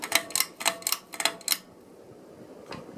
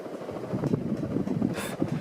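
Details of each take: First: Catalina Lighting Square hugger ceiling fan, dated April 1987: switch clicks, then a soft smooth whoosh building steadily on high, with no wobble or knock heard; normal running on high. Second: Catalina Lighting Square hugger ceiling fan, April 1987, on high: steady hum with soft, uneven knocks coming and going; owner thinks the mounting bracket is shifting against the outer housing, only happens sometimes.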